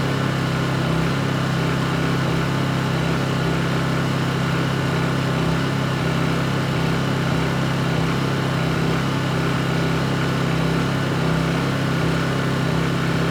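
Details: Honda EU2200i generator, brand new just unboxed, running during a fuel-shutoff test: smooth constant low hum with no misses, surges or knocks over the whole run; healthy.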